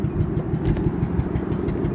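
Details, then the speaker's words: Loud exhaust on a rusty Hyundai Elantra with about 122,000 miles: deep, raspy, uneven drone with pulsing rumble because the exhaust was cut out and stolen. "it sounds like that because of the exhaust somebody caught it out"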